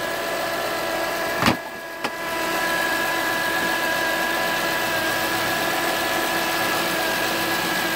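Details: 2007 Acura TL Type S at idle: a steady high-pitched whine from the engine bay that holds its pitch throughout.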